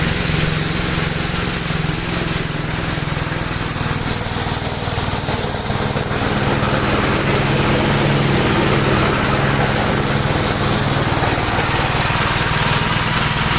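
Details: 1962 Gravely L/LI walk-behind tractor, single-cylinder, mowing a field after valve adjustment and carburetor tuning: steady chugging holding pace under load, no misses, knocks or surging; runs acceptably.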